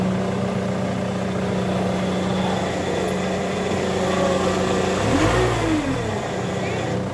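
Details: Ford Mondeo at idle: a constant humming whine that bends and wavers as the revs change, from a failing power steering pump.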